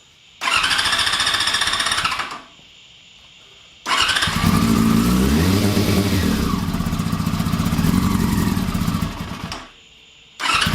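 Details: 2001 Yamaha R6 carbureted four-cylinder with a no-spark fault, being fired up on fuel left in the carbs after ignition work: catches and runs in short bursts with crisp, even revs between quiet pauses; fixed and running healthy.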